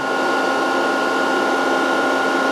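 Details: VFD cooling fan running normally during capacitor reforming after long storage; input at 140 V, capacitors charged so the lamp goes out. Steady, even whir with a constant mid-pitched hum, no rattle or speed wander.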